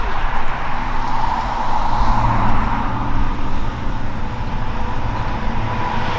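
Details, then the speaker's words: Cold start idle of a freshly installed 383ci LS1 stroker in a 2002 Trans Am, after fixing a cam sensor reading problem: loud, steady V8 burble at a slightly raised cold idle, even, with no misses or knocking. "We'll go out here in a few minutes and get some idle clips for you and let you guys hear that thing. Try to get you guys a cold start real quick."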